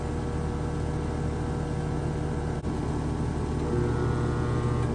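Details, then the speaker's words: Home AC outdoor unit on an 89-degree day, AC not cooling: a steady low electrical hum with no spin-up as the compressor tries to start but fails; a faulty capacitor is suspected. "Did you hear that? So it was trying to start, but didn't. So that gives me a clue."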